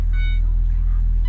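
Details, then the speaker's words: Ford Transit Connect van after replacing engine mount, idling, viewed at front of engine: low, steady rumble with no shudder or knock under a faint dash chime; smooth idle, no shaking; some shake in gear, transmission mount still to replace. "let's just go to the front of the engine and see yeah this is smooth there's no shaking whatsoe"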